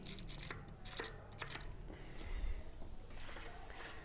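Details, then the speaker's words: Bicycle wheel hub, bike about five months old, spun by hand: light irregular ticks and rubbing from dry bearings, water got inside and the factory only brushed on a little grease; fix is deep cleaning and syringe re-greasing. "é vou abrir esse Hub para verificar qual o barulho né aí a água entrou como essas bikes galera em novos cara só faz pincelar realmente com graxa"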